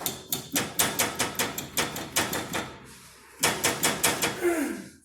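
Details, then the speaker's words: Customer complaint of suspension noise. Repeated hollow clunks, two or three a second, as the suspension is worked. Worn sway bar bushings and end links, to be replaced. "é o barulho que ele disse que tava ouvindo eu não sei como é que vai sair quando tiver um barulhão né mas tranquilo aí que vai ser feito né trocar a bucha da barra estabilizadora"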